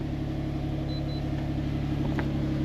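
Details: Engine started after erasing stored codes, including a timing code, to check for misfires or knocks: smooth, even low hum at idle with no knocking or stumble; engine sounds healthy.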